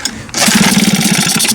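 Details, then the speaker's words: 2020 Hangkai 6.0 outboard, two seasons used, sneezes and won't start: pull-start cranking catches in short uneven carburetor sputters with fuel spitting back, reed petals look intact but suspected faulty; mechanical rather than carburetor or electrical fault suspected. "Что-то беда здесь все-таки с лепестками. Они вроде целые, но что-то есть."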